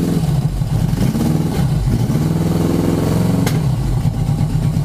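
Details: 1980 Yamaha XS1100 Special, warm idle: pulling one plug cap makes the steady idle turn lumpy and dip, showing that cylinder was firing; cylinder 4 intermittently drops out, owner suspects high-resistance spark plug resistor caps.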